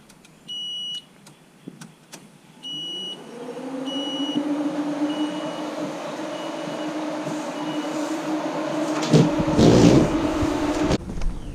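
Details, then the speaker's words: LS-swap project car at key-on after the wiring harness and relays were installed, with harness issues reported. There are chimes, then only the cooling fans spool up to a steady whir. No fuel pump buzz is heard, so the pump is not priming. "I think what I heard was your fans. Yeah, that's what's turning on up there. But I honestly didn't hear a fuel pump."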